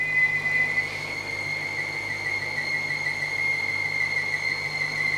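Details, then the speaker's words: BMW 550i with N62 V8 at idle: steady high-pitched squeal at one pitch. Heavy vacuum pulls on a cap, and the noise changes when the cap is sealed or removed; owner suspects a vacuum-related seal leak. "but if i if i remove the cap when it's making that noise and then it starts back up again so this could easily be vacuum related it could just be one of the seals that's interfering with the vacuum and causing that that squeaking noise"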